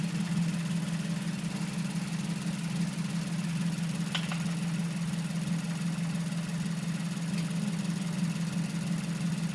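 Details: 2008 Mazdaspeed3 petrol engine idling with a faint, fairly regular knock of about three beats a second from the valve cover; owner says definitely not injectors and it also rattles on acceleration; top-end knock, cause unconfirmed.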